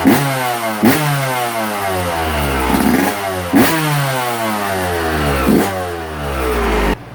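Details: Two-stroke engine in the shop: crisp blips rising and falling cleanly every couple of seconds, settling back to a clean idle; running healthy.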